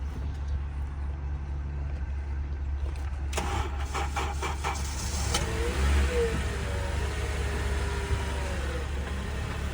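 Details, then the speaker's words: 2012 Honda Accord at auction, starts right up without a jump; engine settles into a smooth, steady, quiet low hum with no knocks or misses after a brief blip, sounding healthy; normal running. "Started right up without a jump. Very quiet and backward."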